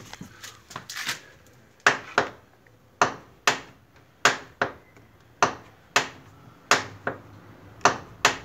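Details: Fiat Siena door after fix (rubber piece refitted into the check strap gap): opened and shut about once a second, each cycle giving only a light thud and faint tick; clicking about 95% resolved.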